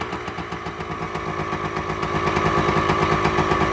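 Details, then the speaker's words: Two-stroke bike, cold first start on the first kick after right-side engine reassembly with new gasket: crisp, even fast crackle with no misses or stumbles, clean idle; no leaks. "The sweet sound of a 2-stroke. Listen to that. That is all there, guys. All there. Nice and crisp."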